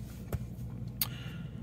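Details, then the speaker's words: 1994 Jaguar XJS 6.0 V12, de-catted downpipes and aftermarket rear exhaust, before the new front exhaust section is fitted; running rather hot, possible coolant airlock: low, quiet, even hum with a couple of faint clicks; normal idle. "Anyway, as I can hear, general jagness, very quiet."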